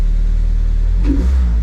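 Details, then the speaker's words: Toyota MR-S with swapped big-turbo 1.8 20V engine ('forged'), Ignitron ECU on untested base map, first-ever start: fires instantly, 85 PSI oil pressure, steady even low rumble then one clean rev settling back; healthy start and revving. "so let's um hit the button okay it's actually started [ __ ] instantly 85 PSI oil pressure"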